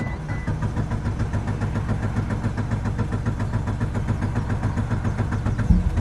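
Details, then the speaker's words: Mitsubishi Evo 8 just after a new fuel pump housing and harness install; owner noted plastic over a pump plug terminal: very hard start, then a low idle pulsing unevenly with a choppy flutter, rough running, cause unknown. "it just feels like this car is just freaking fluttering like it had the hardest time starting up and it just doesn't sound good at all right now"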